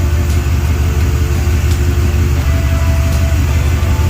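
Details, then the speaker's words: 1956 Ford Thunderbird after fixing a vacuum leak and readjusting the carburetor idle mixture to cure surging; deep steady low rumble around 700 rpm, even pulses, no stumbling or hunting, normal idle. "So we're going to call this thing damn near good. Idle's not too bad. It's reading little like around 700."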